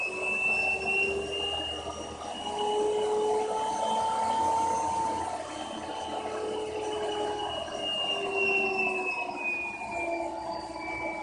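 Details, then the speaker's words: Vacuum cleaner run through a dimmer switch salvaged from a 1200 W hair dryer: steady motor whine whose pitch rises and falls as the setting is changed. Motor speed varies normally with the control. "As you can probably hear, the vacuum kept revving and whatever you call it, kept revving up and lowering the speed up is slowing down as I was changing the setting on there."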